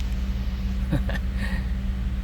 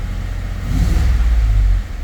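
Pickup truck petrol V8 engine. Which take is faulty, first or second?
second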